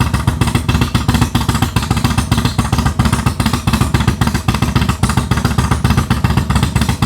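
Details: Harley Dyna V-twin with Comp Cams 4102 cam, after custom ThunderMax tune built without a base map: deep, loping rumble at steady idle, even lumpy cam beat, no knocks or ticks; sounds healthy.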